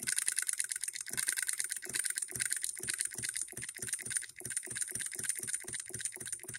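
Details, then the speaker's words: Handmade hit-and-miss solenoid (electric) model engine with ball governor, run at 24 volts; under load crisp, even clicks about four a second with no skipped beats: firing every stroke under load. "when we put it under a load watch it'll hit every"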